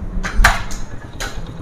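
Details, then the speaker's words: 2022 Honda CD 70 motorcycle just kick-started after full tuning, before petrol/idle screw setting: small single settles into a low even idle putt under a few metallic clinks; sounds healthy. "तो starting अल्हम्दुलिल्लाह इसकी हो चुकी है। आवाज़ आप सुन सकते हैं बहुत अच्छी है।"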